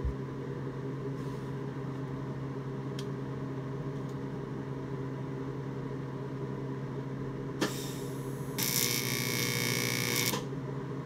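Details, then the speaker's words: 1990s Miller Econotig on AC high-frequency mode (not scratch start), TIG on aluminium scuffed and acetone-cleaned: low buzz, then harsh crackling hiss as arc strikes; no puddle forms, only black and dirty; arc leans to one side, possible electrode issue suspected. "i can't get a puddle it's coming out black and dirty despite me having scuffed this thing not only with the wire wheel and acetone but with an actual grinding pad"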